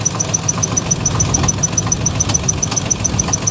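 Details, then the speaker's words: Salvage vehicle idling roughly and misfiring badly, backfire-like noises: a light, fairly steady tick-knock about three and a half per second, not sounding like rod knock and gone when revved; source unclear, possibly an accessory. "I'm hearing some crazy noises under here. You hear that? What is that? Is that a knock? Or is that an accessory?"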